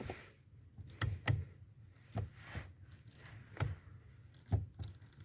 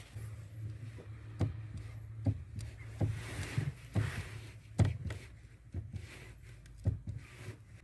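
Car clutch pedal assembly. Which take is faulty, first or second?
first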